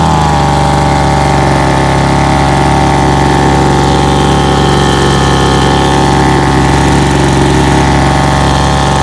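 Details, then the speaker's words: Cheap 26cc two-stroke Homelite 26B handheld blower with no throttle trigger, throttle set by hand: steady even buzz at constant speed with no misses, surging or stumbling; starts and runs well without stalling. "I saw it it started it runs pretty good it really does didn't stall out on me"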